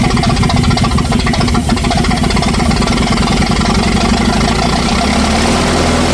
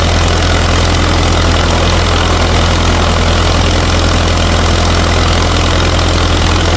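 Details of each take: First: 1964 LeRoi 125G1 trailer air compressor engine, straight pipe with no muffler, loud note holds steady then sags in pitch as pressure builds; engine struggles to carry compressor load; not yet warmed up. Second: 1964 LeRoi 125G1 trailer air compressor, straight-piped, warming up with the output wide open so pressure stays low: loud, deep, even drumming with no misses or knocks; engine runs normally.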